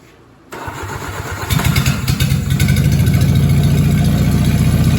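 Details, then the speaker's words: Willys flathead Jeep engine after replacing crank bearings with used 40-over bearings: starts and settles into even steady low beat about four per second, no knock; fuel pump found leaking gas into oil pan. "all right well it is running again there is no knock"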